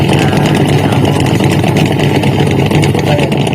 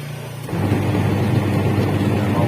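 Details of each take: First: Polytron two-tub washing machine whose pulsator won't spin, spin dryer still fine: rough, gritty grinding churns steadily over the wash motor hum at about three pulses a second, then fades. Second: Polytron twin-tub washing machine whose wash motor wouldn't spin, tested after repair with the wash timer on: motor kicks in and settles into a smooth, even low hum with no knocks or grinding, running normally.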